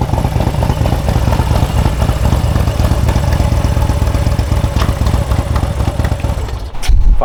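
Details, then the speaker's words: 2020 Harley-Davidson Street Glide Special M8 with new Baker GrudgeBox straight-cut six-speed transmission replacing the failed stock one, under way: deep steady V-twin rumble, shifts through all gears to sixth with no heavy clunks; smooth and healthy. "Like, all right, well, it shifts through all the gears. But sounds good, smooth."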